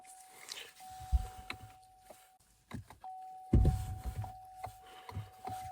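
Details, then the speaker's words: Salvage 2024 Buick Enclave Avenir being rebuilt, fuel system primed, key on with foot on brake. A sharp click or two and a faint electronic tone, no cranking; battery measured 11.74 V, too weak to turn the engine over. "okay just clicks nothing yet just that clicking okay no starting it's not started it's not even cranking or anything everything's just"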